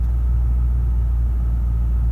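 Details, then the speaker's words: Lexus GS430 V8, just restarted after exhaust valve guide replacement, new valve stem seals and a cylinder head skim to fix oil consumption, idling with a smooth, deep, even rumble and no misses, knocks or ticks; idle spot on, no check engine light. "But the engine is idling absolutely spot on. There's no check engine light. Happy days."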